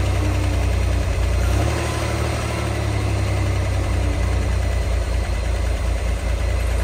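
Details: 1963 Chevy Corvair Monza Spyder turbo convertible, parked since mid-1970s, test-run on its own fuel pump with clogged lines and old fuel: deep, even, steady idle, no knocks; earlier worse noise (fan, generator suspected) now quieter, no fuel leaks, idling nicely.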